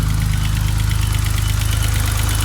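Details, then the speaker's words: 1987/1988 BMW E28 535is, M30 engine, rockers adjusted to spec: sharp, fast, even ticking (about sixteen a second) over steady idle, louder as engine warms; owner suspects injectors. "you can already hear the tick maybe you guys can't but I can it gets louder as the engine warms up"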